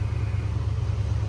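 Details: 1986 AMC Jeep Grand Wagoneer carbureted engine during warm-up, fast idle bypassed with a light throttle press: low, even rumble with no misses or knocks; healthy idle.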